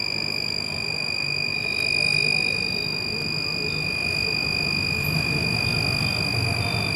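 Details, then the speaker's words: Household MCB (miniature circuit breaker) tripped down, cutting the bulb circuit; green LED lit. Steady, unbroken high-pitched beep for the whole clip, the breaker's tripped alert. "देखा आप लोगों ने, MCB हमारी down हो गई और आपको एक सिग्नल मिल रहा है। एक ग्रीन कलर की एलईडी इसमें जल रही है और आपको एक बीप सुनाई दे रही है।"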